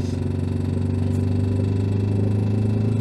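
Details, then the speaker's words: Renault Twingo 1 petrol, 740,000 km, climbing a hill stuck in third gear at about 60 km/h: heavy, rough low drone pulsing about three times a second under load; noise is normal off throttle, abnormal only when accelerating. "oh là là là le bruit c'est pas beau on va pas partir trop loin quand même"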